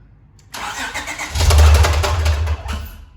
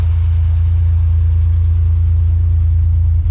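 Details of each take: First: 2012 Acura TL 3.7L J-series V6 with catback exhaust, high-flow cats and Ktuner, crank position sensor circuit code: cranks and catches about a second, running rough with heavy rhythmic knocking before dying; rod knock, engine later replaced. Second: 2012 Acura TL 3.7L V6 with catback exhaust and high-flow cats, just after an engine swap, idling cold with a deep, even rumble and no knocks or ticks. Normal idle.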